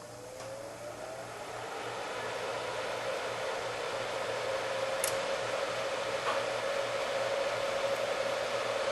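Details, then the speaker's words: Heathkit SB-200 amplifier after new HV power supply board and soft-start added, powered up on a variac: steady fan whoosh with faint low hum, no crackle or arcing, filaments lit, about 2300 volts; normal operation. "Yep. Fan spinning. Filaments are on."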